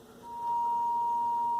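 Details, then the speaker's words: General Electric SC2310B 8-track AM/FM stereo, about 1972-73, phono stage fed a ceramic cartridge-level test signal (~0.5 V): steady tone with rough buzz, sawtooth/square-wave-like; distorted phono stage output, possibly partly the speaker. "what it wants there's also some distortion there [Music] yeah shouldn't sound like that almost sounds like a sawtooth or a square wave"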